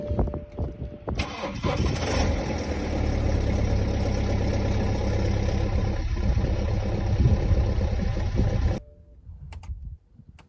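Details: 2011 BMW 318d N47N diesel at cold start, a loud metallic timing chain rattle over the clatter; noise at cold start only, not when revving, attributed to the newer 24mm tensioner, so chains, guides and tensioners need replacing.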